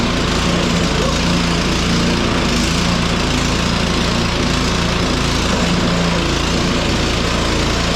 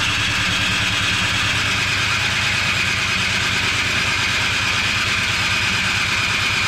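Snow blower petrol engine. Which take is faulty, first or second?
second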